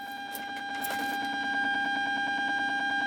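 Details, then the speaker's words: Remote kit amplifier with a USB Bluetooth board, assembled about eight years ago: a steady high whistle near 800 Hz, pulsing about three times a second, only on Bluetooth and louder at higher volume. Ground-loop noise, fixed by running a wire to the audio board ground. "இப்ப இதுல இந்த Bluetooth use பண்ணும் போது மட்டும் ந்த ஒரு whistle sound மாதிரி வருது. வால்யூம் குறைச்சா வராது."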